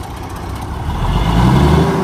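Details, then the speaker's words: Paystar big diesel idling after the radiator rebuild, not yet hot; deep steady rumble swelling slightly, no misses or knocks, no smoke at idle, though black smoke appears when revved; normal idle. "Ain't smoking at all. Not at idle."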